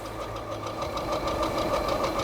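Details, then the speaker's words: Hidoes B10 retro e-bike at top speed (about 28 on full power with pedalling): fast, fairly even ticking over motor hum and wind; source unknown, owner suspects an assembly issue, nothing major, not yet checked over. "I don't know what that noise is it might just be assembly issue I don't think it's nothing major"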